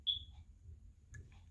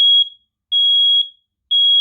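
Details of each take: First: Old FireX smoke/carbon-monoxide detectors over 12 years old, battery replaced under two months ago: a single short high-pitched chirp, then a faint second chirp, in a quiet room during testing; an aging detector is suspected of signalling, not confirmed. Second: New Kidde smoke/carbon monoxide detector, replacing 12-year-old FireX units, on test: loud shrill beeps around 3.3 kHz in bursts of three, a pause, then repeating, with other chirping in the background; sounding normally.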